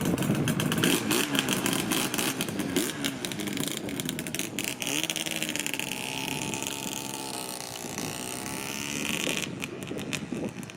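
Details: Freshly rebuilt Yamaha RZ350 two-stroke, first ride of about 0.9 miles: crisp ring-ding exhaust revving up cleanly and settling back, even firing, no knocks or misses. Rider says it ran really smooth. Normal running.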